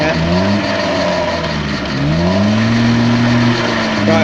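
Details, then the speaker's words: Peugeot pedal moped two-stroke, laid up since 1997: engine dips briefly then picks up cleanly, buzzing pitch climbing and holding; revs nicely and freely. "and it revs nice and freely as well it seems to Rev like it you know wants to read somebody"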